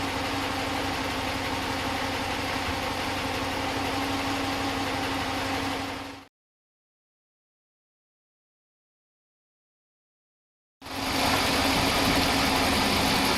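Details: Stock, unmodified 5.7L Hemi V8 in a 2015 Ram 1500, warm idle: smooth even idle with light regular injector tick about 200 per minute, no lifter clatter; normal healthy engine.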